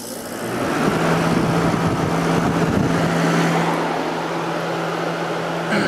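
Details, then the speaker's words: 1989 Whirlpool-made Coolerator 7,000 BTU window air conditioner with a Matsushita rotary compressor and Emerson fan motor, cleaned, running on high with a capacitor due for replacement. Steady fan rush and even compressor hum, no knocking; normal running on high. "yeah so it runs great especially now that it's all cleaned out"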